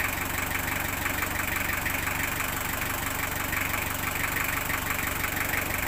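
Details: Engine idling just after an oil change using 5 units of oil: smooth, even idle with a steady mid-pitched hum and a regular soft beat, no misses or rough surges. Normal idle.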